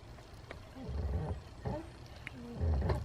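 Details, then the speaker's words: BMW E60 clutch pedal after lithium grease on the pedal and spring, on test drive: slow irregular groaning creaks about every 1.5 s as the pedal bottoms out; top squeak gone, owner suspects the spring and thinks it may be normal. "we still do get a little bit of a creaking but that's more at the bottom of the pedal now and i think that may be normal i don't know if that's just the spring you know i know if that's the spring just spreading out or what"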